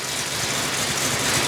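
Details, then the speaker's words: Old carbureted car started after sitting about three days, in park after a couple of pedal pumps: smooth, even idle with no knocks, misses or stumbles under hiss; runs like a dream, normal idle. "listen to that runs like a dream sounds like a dream"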